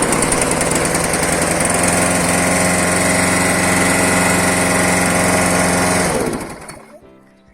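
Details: Roughly 15-year-old lawnmower engine that sometimes won't start after standing, after priming fuel to the carburetor: small single-cylinder putters steadily at an even beat, then cuts off near six seconds. Starts and runs normally.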